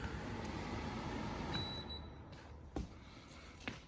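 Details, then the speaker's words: Fujitsu Halcyon heat pump with 5 amber / 9 green compressor motor fault code, running in heating mode: steady rough grumbling drone with uneven rattle; failing compressor, linked to burnt wiring. "that's the sound of it man that's no good that's why you're burning the wire though"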